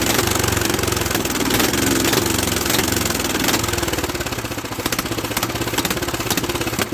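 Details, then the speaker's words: Late-1960s or early-1970s Bolens tractor that sat in a barn for years: uneven chugging at about three beats per second that never catches; no fuel flows through the filter, and a blockage is suspected. "okay go ahead and crank it over hold it on there off go ahead and give her another one see if we can get her to pick up fuel"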